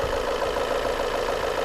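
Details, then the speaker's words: Volvo S40 petrol after replacing the mass airflow sensor and finding no intake air leaks: engine now idles evenly and stably, though somewhat noisy with some tapping of unknown origin, possibly knock. "вот мотор работает ровно но как-то шумно Да я не знаю Слышно нет но сейчас он работает очень ровно ровно стабильно"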